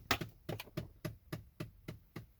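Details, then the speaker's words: 2011–2014 Ford Explorer with ignition off: steady, sharp, dry ticking about three to four times a second from behind the glove box. It started a month ago and occurs when the car is turned off or on; cause not yet known. "It started about a month ago, and everything seems to work fine. But when you turn the car off or when you turn the car on, coming from the dash, it's behind the glove box."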